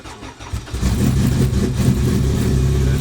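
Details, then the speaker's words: Turbo Honda Civic EK (about 700 whp) on 93 octane, cold start with the gas held a little: brief crank, catches quickly and settles into a lumpy, held-high idle with a deep exhaust note; a healthy start. "let's see i gotta hold the gas a little bit on a cold start so"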